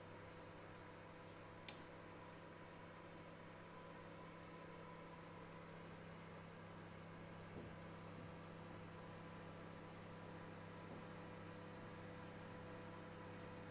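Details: Balay 3WG-I923XP microwave oven running: steady low droning hum with a buzzy edge and faint clicks, an odd, scary-sounding noise of unclear source.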